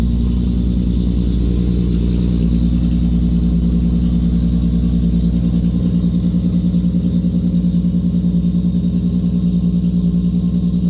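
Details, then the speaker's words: VW Mk1 Rabbit track car with 3.6 VR6 swap, sat all summer, cold start in neutral: deep, loud fast cold idle with steady throaty pulse, no knocks or misfires; healthy. "let's get a cold start on this thing this thing has a nasty cold start with the 3.6"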